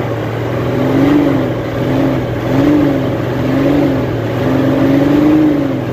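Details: Hino Euro J08C six-cylinder truck diesel idling after air-compressor fault repair; soft hum rising and falling gently, no knocking, noise cleared and running clean.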